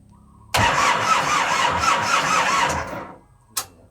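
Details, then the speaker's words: Diesel boat engine cranks unevenly for about two and a half seconds and fades without firing, then a thump; crank no-start, battery weak and uncharged, engine was still being bled of air. "Bên này chạy không nổi rồi."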